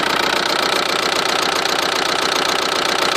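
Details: 2000 VW ALH TDI diesel with no power and white smoke, at idle: an uneven, stumbling clatter two or three times a second, a random misfire. The owner has heard it may be the injection pump; this is unconfirmed.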